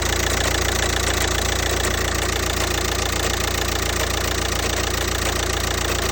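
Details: Audi A3 8P 2.0 TDI (BMM engine) at idle: a steady diesel idle with an even, sharp knock about three to four times a second over it; source of the knocking undetermined.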